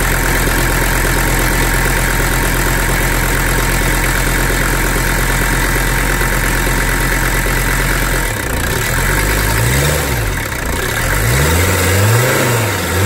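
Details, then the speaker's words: Mercedes 300D OM617 diesel after oil line patched and oil added following zero oil pressure: steady low clatter at fast idle, then revs swing up and down, even with no knocks; oil pressure good; normal diesel running. "hopefully these will be better. The engine sounds good to me."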